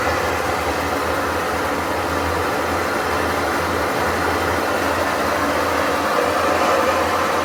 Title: GE washer making noise like airplane-broken bearings